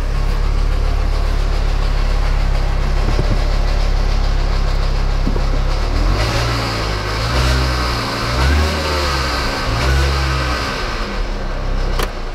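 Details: 2006 Mini Cooper S with 25,000 original miles, at start-up and idle: a rough, rattly, nasty buzzing noise over the idle that swells with each throttle blip, pointing to a failing supercharger pulley.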